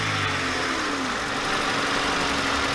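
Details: Honda Civic EG hatch with a freshly swapped D15 engine, first start: steady, even idle with a smooth hum and no knocks, misses or hunting; sounds healthy.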